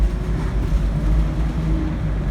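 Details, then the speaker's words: 1997 Chevy Astro van, 4.3 engine, with an intermittent stall and no-start in damp weather, road-tested under hard acceleration: deep steady engine drone with no stumble or miss, pulling cleanly; healthy under load. "This thing's running great. So we're gonna see where a lot of times for some reason ignition really shows up is when it's under a load or when you first tip into it or on a hill."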